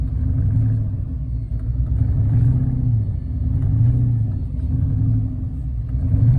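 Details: Chrysler 300: steady low starter churn with slow, even pulses and no catch or firing. Crank no start.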